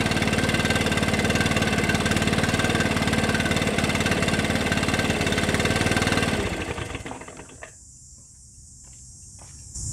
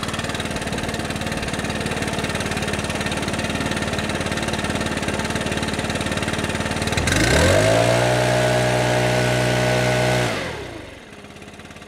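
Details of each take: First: Stihl BR600 backpack leaf blower after adjusting the hidden throttle trigger set screw to reduce trigger slop: steady full-throttle scream for six seconds, then drops as trigger released; clean strong run, full throttle restored. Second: Stihl BR600 backpack leaf blower, customer complaint of not reaching full throttle and slight bogging, before repair: small engine idles then snaps straight to steady high scream without stumbling and returns cleanly to idle; reaches full throttle, exhaust screen and carburetor likely ruled out.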